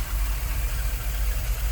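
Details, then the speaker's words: 6.6L Chevy G30 ambulance V8 after an Edelbrock Pro-Flo 4 EFI swap, with fuel pressure at 15 and a valve cover tapping issue fixed: a low, even burble with a steady pulse and no tapping or misses; smooth, healthy idle. "alright guys it's 3:00 a.m. and we finally got it running and idling as you can see as you can hear we had an issue with the valve covers tapping but we fixed that as well so there you go it's idling nice and smooth"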